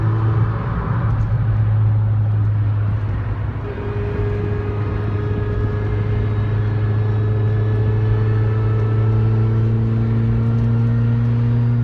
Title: Whining noise when accelerating Fiesta ST